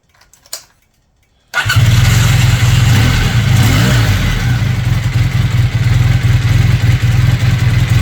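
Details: Honda CB400T Dream twin after a service, first start: lumpy, uneven tickover with the right carb far off; unsynchronized carburettors.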